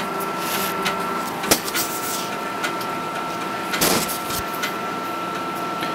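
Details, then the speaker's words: Athlon XP PC, floppy drive loading the BIOS .bin file for an Award flash: steady whirring hum with faint scratchy ticking as the head works through the disk; the drive is reading normally. "hopefully you can hear the floppy drive churning away out of focus"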